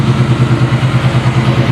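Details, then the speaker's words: 1994 Chevy C1500, 269,000 miles, built V8 (BluePrint Engines receipt), fuel pressure about 6-7 psi: deep rhythmic burble at steady idle, no misfire or tapping; sounds healthy, good enough to drive home. "maybe I'll drive this for the week oh she's beautiful guys sounds good huh Nick"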